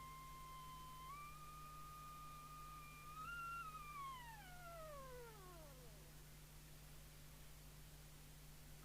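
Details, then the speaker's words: Jesan KT2002 CB radio on the bench, receive mixer crystal (10.695 MHz) adjusted with a 27.79125 MHz signal generator input: a clear whistling beat note steps up, then glides down to nothing as the off-frequency crystal is tuned and nulled. "see whether we can null the musical note here we"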